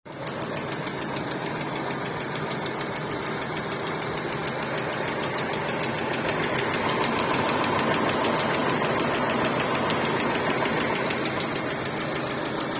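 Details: Hyundai Getz at steady idle: sharp, very regular metallic ticking about three times a second; ringing engine knock of unknown origin.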